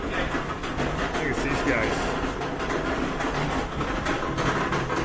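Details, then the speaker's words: Older Whirlpool dryer, possibly series 7: deep, uneven rumble continuously as the drum turns, a pretty bad rumbling noise most likely from worn rear drum support rollers. "that's a pretty bad rumbling noise we're gonna unplug it and most likely it's the support rollers in the back that are having trouble"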